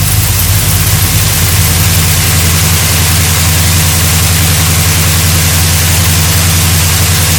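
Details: 1972 GMC Sierra Grande with a newly installed replacement V8 (electric choke, new gas tank), first run in 9 years: steady, even low rumble with a smooth firing beat, no knocks or misses; idling cleanly and healthy.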